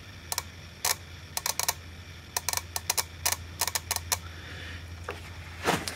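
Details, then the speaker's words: Touch probe relay contacts chattering when the probe hits material like plywood: bursts of sharp, uneven clicks in rapid clusters instead of one clean snap; relay contact chatter. "hear that "scrambled egg" kind of sound? Where the contacts are going kinda click,click,click... That's giving me fits."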